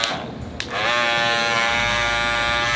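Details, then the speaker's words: Andis cordless Master clipper, owner's unit known for being loud: steady high buzz that jumps sharply louder and brighter as the lever opens, a harsh rattling whine from the blade drive; loud clipper buzz. "But the problem with these things were they were loud."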